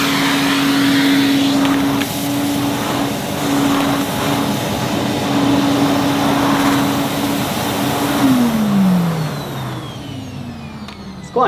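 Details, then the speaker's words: 1977 Hoover 427 cylinder vacuum cleaner, near mint, no internal dust bag fitted, pushed over carpet; steady motor hum with soft airy rush, smooth and even, no knocks; normal running. "Revel in the Retro sound and smells obviously you can hear the cleaner you can't smell it we haven't got that technology yet"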